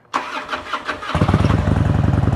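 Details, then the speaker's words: Fuel-injected Harley-Davidson Road King after repairs (oil change, wiring, throttle cable readjusted), start before test ride: brief crank, catches at once and settles into an even low thump about 17 pulses a second; clean healthy start. "Starts right up. I do love fuel injection."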